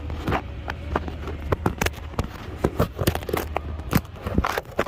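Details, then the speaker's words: 2008 Ford Escape Hybrid, front steering worked back and forth by hand: sharp irregular pops, a few per second, on both sides, from a worn steering shaft U-joint at the steering gear. It mimics a tie rod end, and the popping stops when the tie rod end is pulled. "It's that U-joint coming right off that steering gear. It's that U-joint wore out popping. It makes it seem like it's a tie rod end."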